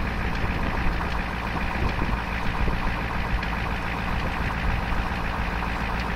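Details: 1988 Ford F250 7.3 diesel, newly rebuilt with under 3K miles, cold start around 25°F: occasional sharp metallic hammer-like tap over idle clatter, seemingly driver's side, fading as engine warms; owner suspects sticking valve/weak spring or early-opening injector.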